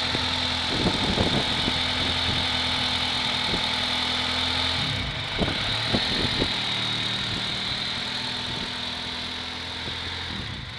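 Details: Honda Prelude petrol engine idles unevenly, its low hum dipping and stumbling with irregular thumps; owner can't figure out the cause of the rough idle.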